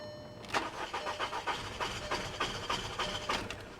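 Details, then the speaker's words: 2013 BMW 328i salvage car listed as start-but-not-drive, cranked on a jump pack with and without throttle; quick, uneven starter chatter at about three beats per second, but it never starts. "no well i'm gonna tell you right now at this rate this doesn't run"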